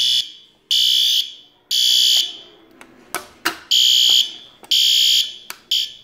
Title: fire alarm test 1